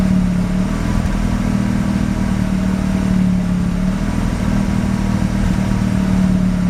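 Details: Mazda RX-7 rotary with extremely high CO (2.70), failed inspection: idle hunts unevenly with stumbles and clattery roughness under a low drone, misfiring mainly on slight throttle; no oil pressure; ignition leads measured; cause unknown.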